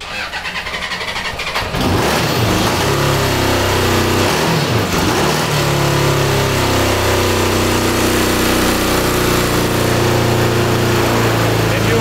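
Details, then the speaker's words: 1982 DOHC Honda CB750 cross-kart engine: catches, then revs sag and wander, stumbling without throttle. Running better but still not right and won't hold idle; cause unconfirmed. "it's definitely running better but it still doesn't feel quite right"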